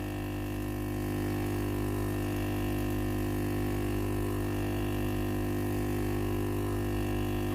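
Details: Philips PSG8160/30 steam iron that powers on normally but gives no steam: steady low hum with a fixed tonal drone as the water pump runs without delivering water; the pump has failed.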